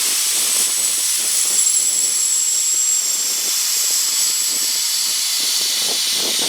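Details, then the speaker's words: Petrol-engine air compressor at about 90 psi, with crusty debris having come out of it. Steady high-pitched hiss of escaping air with no engine thump underneath; problems with the unloader valve. "i'm having problems with the unloader"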